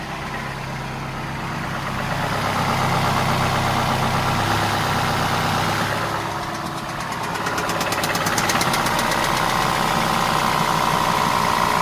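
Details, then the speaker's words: VW Passat 1.8 TSI idling with a loud knock that comes and goes, sounding like a pronounced rod bearing knock; owner notes a cracked flywheel or timing chain tensioner can sound similar, and a rod bearing failure was later confirmed. "It does sound like a very pronounced rod bearing knock, but in my experience, I've seen flywheels being cracked and timing chain tensioners causing this very similar knock."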